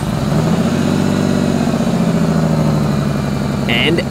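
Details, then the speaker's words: Idling before repair with rough rapid puffing from a rust-leaked exhaust flex pipe, letting fumes into the car; later fixed without welding. "she sounds way better now so here's what it sounded like before with the leak"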